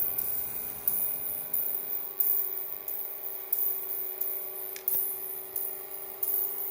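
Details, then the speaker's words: Sundown SFB-1800.5D five-channel car amplifier: faint steady mid-pitched buzz with a higher whine and occasional clicks. The buzz appears to come from the transformer rather than the choke. "we can hear it is it coming through the transformers or is it the choke"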